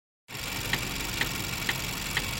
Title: Vauxhall Astra automatic, 1.4 Sri rhythmic clicking and ticking noise